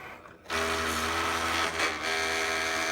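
A steady motor hum kicks in with a rough, gritty grind over the top as the cutter runs; something in the drive is binding.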